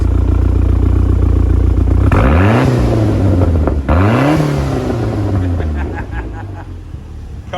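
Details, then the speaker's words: Ford Fiesta RS Turbo after 17 years' storage, on a Renault 5 fuel pump, sound from the exhaust: two clean blips rising and falling smoothly back to steady idle; healthy engine and exhaust. "beat that sound. So, our Renault 5 pump's holding up, doing its job. The engine sounds sweet."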